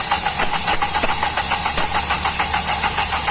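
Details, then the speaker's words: Hyundai i20 CRDi 1.4 diesel with Delphi injectors, low rail pressure (P1186), no codes initially: rapid even cranking about three beats a second, never catching; excessive injector return keeping rail pressure low causes the no-start. "तो ज्यादा return देने से भी starting problem है"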